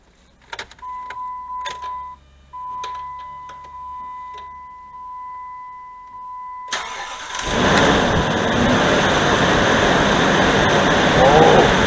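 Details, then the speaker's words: Dodge Dakota V8 cold start on a spring/autumn-like morning: after the chime and starter, a loud, even rushing roar from the viscous fan clutch, nearly fully engaged, buries the engine; expected to settle as it warms. "이 소리가 완전히 횡클러치 소리밖에 안 들리는 거예요. 첫 시동이고요. 첫 시동입니다, 지금. 횡클러치가 거의 최대로 놀고 있는 거나 다름없어요."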